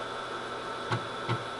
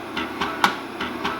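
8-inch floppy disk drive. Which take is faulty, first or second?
second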